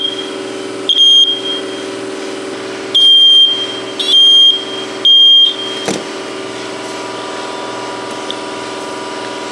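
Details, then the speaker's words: First Alert smoke detector keeps sounding piercing high beeps, four in under five seconds at uneven spacing, even after it was opened, inspected and blown out with an air hose, which didn't help; judged definitely faulty, cause not found. "Well, it's definitely faulty, isn't it?"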